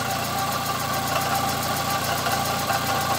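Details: 2005 Fiat Palio 1.8 at idle, heard through a stethoscope hose: steady idle with a constant thin whir over the engine note; water pump bearing noise.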